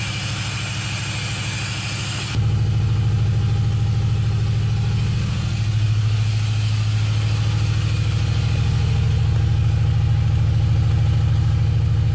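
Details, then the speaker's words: Camaro V8 first started with the key, mufflers and pipes fitted: catches and settles into a steady fast idle, about three pulses a second, never dropping to a relaxed tick-over; idling too high, owner thinks it needs a tune. "again and with the the mufflers on there and the pipes and everything i think it sounds good i think it's going to sound really nice going down the road but i i really think it's idling way too high"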